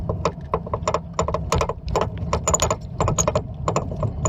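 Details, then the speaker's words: 1997 Buick LeSabre Custom rear suspension: rapid irregular hollow clunks as the strut rod shoots up and down through a strut mount whose centre ripped out of the rubber; strut itself fine; strut mount clunk. "it was actually the strut mount that was the problem on this one what happened is the middle of the strut mount just completely ripped out around this rubber the entire strut rod and all was shooting up and down through the middle of this strut mount"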